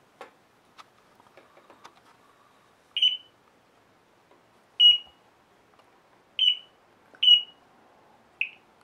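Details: Geiger counter held to Fiesta Ware dishes: sharp high beeps at random spacing, about five in six seconds, detecting radioactivity from the glaze.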